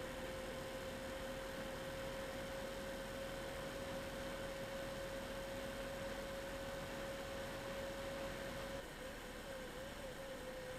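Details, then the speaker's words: MSI Radeon HD 7970 Twin Frozr III eight-year-old graphics card, original fans (one dead, one failing), under benchmark load: steady whooshing fan hum under fixed coil whine, whine wavering near end; irregular fan noise, worse as GPU cools. "so i'm going to start the test you should be able to hear the irregular fan spinning separate from the coil wine"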